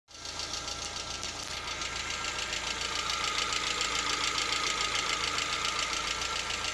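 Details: Lada Vesta, 64,000 km: fast, fairly even light knocking about two per second over idle at around 50 °C during warm-up; absent cold and gone at operating temperature, cause unclear.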